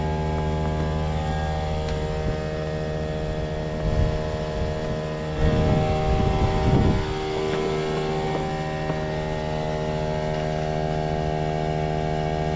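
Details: Trane XV18 heat pump outdoor unit, installed December 2021, drones with a loud, steady hum and a stack of fixed tones; far noisier than it should be, cause unclear.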